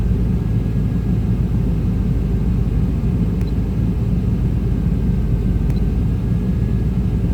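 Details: 1995 Chevrolet Tahoe K-series 5.7L V8 with a rough, loping idle. The scanner shows no throttle position sensor signal, and the truck won't shift. The TPS was replaced twice; the owner suspects the wiring. A smoke test showed a leak near the passenger headers.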